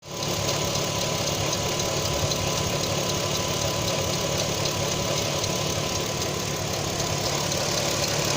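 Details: Audi TT 3.2 V6 idling steadily with a light, quick ticking about four a second, from the front of the engine; owner doubts timing chains.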